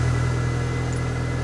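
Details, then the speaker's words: Rover 420 GSi Tourer, battery just connected with a quick charger after stuttering running: steady, even low hum with no misses, knocks or stumbles, sounding much happier in neutral; normal idle. "Well, that sounds more positive. Oh, that sounds much happier. Neutral. Oh, that's a happier bunny."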